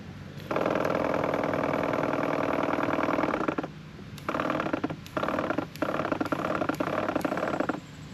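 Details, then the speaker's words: Sprayers Plus 105EX backpack sprayer with water in the tank, pump building pressure; small electric pump hums steadily, then cuts in and out in short bursts, cycling on and off. Pump leaking chemical; pump assembly to be replaced. "alright, so the problem I'm having with this pump sprayer is the motor inside of it is cycling on and off. Alright, it's going on, off, on, off, on, off."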